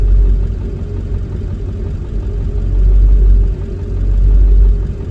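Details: Ford 7.3 diesel with IDM code P1316: deep diesel idle that swells and sags unevenly every second or two, rough running.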